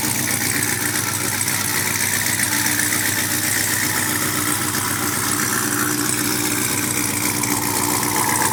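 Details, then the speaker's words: Brand-new supercharged GM LT4 V8 with CVF pulley kit, swapped into a 1971 Chevy Chevelle convertible with new exhaust: a smooth, even idle with a steady deep burble, no knocks or misses. Normal, healthy idle. "That sounds so good. Huh? That sounds so good. Yes."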